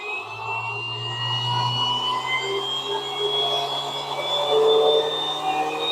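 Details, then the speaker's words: 3D-printed axial flux BLDC motor cranked to full throttle under a protective box, producing a lot of power: steady high whine with low hum underneath, even pitch; smooth, healthy spin with no grinding. "That is just absolutely terrifying, to tell you the truth. Uh that little sucker is producing a lot of power."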